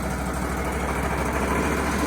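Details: Wood-Mizer LT35HD sawmill engine idling steadily and evenly with no misses, knocks or surging, after repair. It had failed to start, clicking at the suspected fuel solenoid, likely from a fuse blown by gunk, corrosion and moisture in an engine-harness connector.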